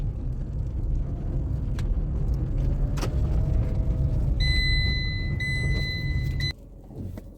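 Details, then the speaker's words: Tata Tiago recorded in the cabin while driving over rough roads: heavy low road rumble with scattered light clinks and loose jangling over bumps; body rattle, owner blames doors being slammed hard by others, not confirmed. "तो अभी मैं कुछ खराब रास्तों पर चलूंगा और खराब रास्तों में आप गाड़ी की रैटलिंग आप सुनना।"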